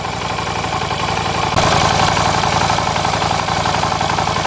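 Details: Yamaha Virago 250 during valve adjustment, compression 150, valves slightly loose, vacuum gauge swinging widely at idle: uneven, loping idle with irregular pulses and a sharp jump; owner suspects weak valve spring, sticking valve or EGR.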